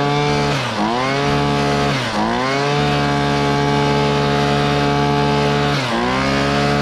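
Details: Hitachi 23.9cc two-stroke gas engine, likely the 2015 unit, with an owner-noted fuel leak: a high, buzzy note dips briefly a few times on throttle and recovers cleanly to a steady pitch; runs healthy.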